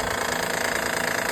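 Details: Honda Odyssey 3.5L V6: fast, even ticking at constant pitch over the running engine, from a worn timing belt tensioner; fix is to relieve belt tension via crankshaft (19 mm) and remove the tensioner's two 10 mm bolts.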